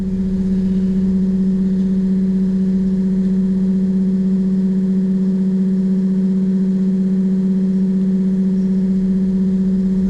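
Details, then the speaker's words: Excursion/Bison 24V 86lb-thrust trolling motor after melted brush holder replacement, bench-tested: loud, smooth hum on one low steady note, no scraping, crackle or rattle; normal motor run. "So hopefully you can hear the motor. Listen. It's speeding up. So we'll pass back to centre again, it'll slow down."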